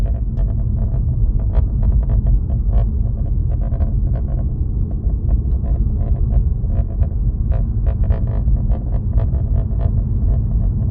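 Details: Alfa Romeo Giulia driving with irregular light clicking and buzzing rattles from behind the dash over a steady low road rumble.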